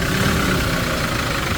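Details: Hyundai Porter2 with a D4CB diesel showing blow-by effects, black smoke, engine noise and diesel mixing into the engine oil. A steady idle with busy, uneven clatter and a dull low rumble: rough diesel idle.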